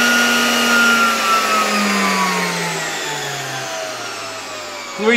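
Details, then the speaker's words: 1987 Zelmer 200.8 vacuum cleaner with its sparking original type 300 motor replaced by another type 300, run on a voltage regulator: smooth motor whine easing down in pitch as voltage drops, no crackle; no sparking, speed somewhat lower. "muszę powiedzieć że działa to dużo dużo lepiej kompletnie nie widać tutaj na tym silniku żadnego iskrzenia"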